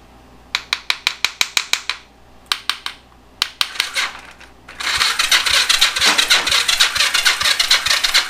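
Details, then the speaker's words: Yamaha XS400 project bike, compression test on the other side; a few sharp ticks then slow, uneven chuffing crank about three pulses a second, starter sounding sluggish; owner considers swapping to a better-charged battery. "This one sounds like it's getting a little sluggish."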